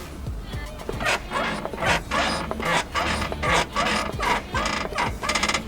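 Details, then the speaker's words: Lifted Honda Civic Wagon RT4WD rocked by hand: rhythmic creaks and rattly clunks about every second; worn front-end parts suspected, with a full front-end teardown planned. Suspension squeaks and rattles. "and you can hear some of the rattles and stuff when I do this and that's just part of the squeaks and Stefanie to address whenever I do the teardown"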